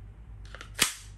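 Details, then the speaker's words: Tokyo Marui Glock 19 Gen4 airsoft pistol: light clicks as the Gen4 magazine seats, then one sharp crack with no trigger pull as the hammer pops up and slam-fires; Gen3 magazines avoid the problem. "Gen4永遠都會這樣走火的已經可以控制什麼時候走火所以是危險的"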